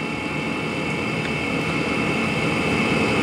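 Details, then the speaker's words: Chinese diesel heater running on used HV46 hydraulic oil on a cold night, with the oil at around minus seven degrees, in its shutdown cycle: steady fan whoosh easing off with glow plug on and fuel pump ticking about four per second; normal power-down. "we're still running the globe plug now and the fuel pump's still running as it does when it shuts off"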